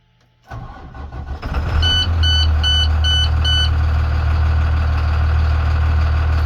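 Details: 2014 International 4300 with MaxxForce diesel, starting after fuel filter replacement and five primer cycles. Short crank, quick catch, then a deep steady idle with dash chimes over it. Water-in-fuel light cleared, normal start.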